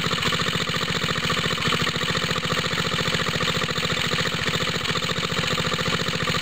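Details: Water pump rig engine, cold start with choke on, straight 30-weight oil, new exhaust tip; smoke from side of head, owner thinks head gasket leaks, losing compression: cold idle with steady hard chuffing about three pulses a second; head gasket leak.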